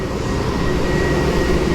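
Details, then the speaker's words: 2003 Chevy Tahoe, dead battery and no start, after tightening a loose battery ground connection: thin, steady high whine above an even engine rumble at idle, constant pitch; alternator charging normally. "See if this starts up, and we'll throw the voltmeter on it, see what it's charging at. Just for fun. Get the old meter. We don't need that. Oh, I hear it charging."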